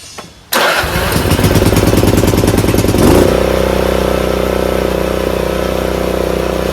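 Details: Craftsman RER1000 riding mower after shortening a spring to fix high revving: engine catches at a steady fast beat, then tone deepens and settles smoothly as blades engage; normal running under deck load.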